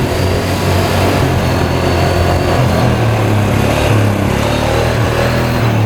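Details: 2013 Polaris Sportsman 550 EFI EPS 4x4 ATV running after cleanup with the handlebar switch disconnected: a steady, even single-cylinder thump with no stumbles. All gears, reverse and high/low work, with a slight clutch squeak, probably rust. Normal running.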